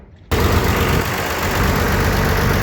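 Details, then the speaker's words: Farmall 806 diesel tractor idles evenly and smoothly, deep and without stumbling or surging, after a clogged string pre-filter full of algae and rust gunk and a dirty paper fuel filter were replaced. Normal idle. "Definitely idle smoother."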